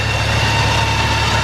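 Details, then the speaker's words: Customer car with a very loud exhaust, checked over with fluid run through the system; everything good. A loud, deep exhaust drone with a steady low rumble and even pulses, no knocks or ticks; the engine idles cleanly. "Alright, so this one's good. We went through and checked everything, ran fluid through it. Everything is good."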